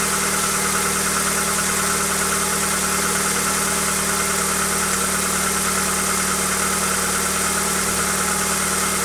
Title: Стук двигателя хюндай акцент ч1